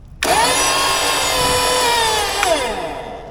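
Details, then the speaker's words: Salvaged flooded EWP hydraulic pump bench-powered from two batteries wired for 24 volts: motor spins up sharply to a steady high whine, holds even, winds down smoothly; pump runs normally. "We got power. Pump kicks in."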